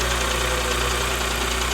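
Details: Porsche Macan S, just after timing chain and tensioner replacement for a loose stretched chain: steady idle with a dull, even knock coming in as revs drop off fast idle, started with no fans; piston slap.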